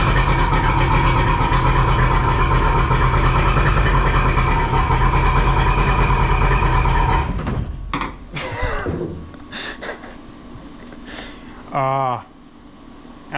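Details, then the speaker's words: Two-stroke outboard on a tinny, unused for at least 8 years, started with what is thought to be the choke on: it runs with a buzzy, fairly even beat for several seconds, then cuts out; it is running normally. "this is not a stitch up. That thing literally hasn't run in I reckon at least 8 years. Um, that's pretty crazy."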